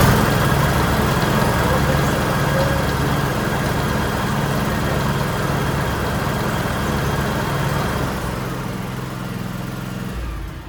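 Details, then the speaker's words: John Deere X Series lawn tractor after repairing mouse-chewed wire that shorted out the mower deck and refitting fender and seat: single cylinder catches and runs with steady, even beat, no misses or odd noises. "So we'll fire it up, make sure there's no issues."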